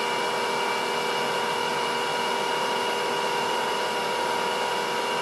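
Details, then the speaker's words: Lathe induction motor on VFD with dimpled end-cap bearing seats, around 20 Hz: smooth, steady electric hum with even whirr, no knock or rattle, no vibration felt, no bearing play. Normal running. "any vibration well I don't feel any vibration at all and that was about the 20 Herz again"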